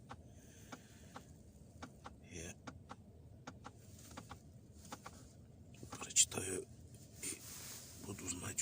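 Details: 2017 car with automatic transmission, two years in service, idling with lever in Park: sharp light knocks about two or three a second, felt through the pipes, only in Park; transmission knock, cause unknown.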